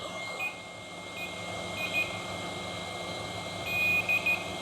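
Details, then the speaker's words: Dell Latitude 3580 dead laptop motherboard, multimeter continuity test on a capacitor near the fan: short high-pitched beeps over quiet hiss showing a 0-ohm dead short; faulty capacitor. "and when we measure like this, yeah, you can hear it, it's buzzing there. That is a faulty component."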